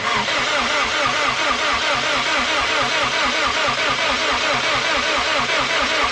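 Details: WRX being built toward 500hp, with no downpipe fitted yet, on its first attempt to turn over: fast, even starter churn at roughly two turns a second with no firing. Something is heard to blow during the attempt; cranks but does not start.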